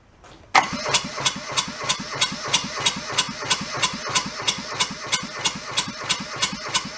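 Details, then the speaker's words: Junked small Kubota diesel from a scrapyard, cranked with a bleeder cracked to draw fuel through: steady starter cranking about three turns a second, never fires; little or no fuel coming out, no fuel delivery. "I need my starter but you see anything I'm not seeing much of anything huh definitely down in it"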